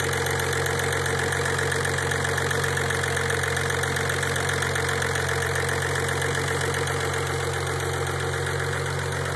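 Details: Engine idling after 5–10 minutes of running, recorded for an engine scan: steady idle with a faint, fairly regular knocking tick over the hum, about two or three a second, source not identified; engine noise at idle.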